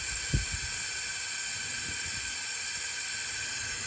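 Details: 2007 Freightliner Columbia, Detroit Series 60, air built over 100 psi, engine off, ignition on: a constant sharp hiss of air escaping straight through the fan clutch hub. The fan clutch hub is bad and needs replacement.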